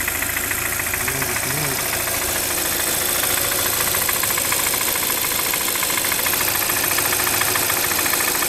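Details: Brand-new 2013 Hyundai Santa Fe petrol engine idling: a fast, fairly steady ticking knock of about three and a half per second over a bright top end; owner suspects a wrist pin/piston defect, unconfirmed.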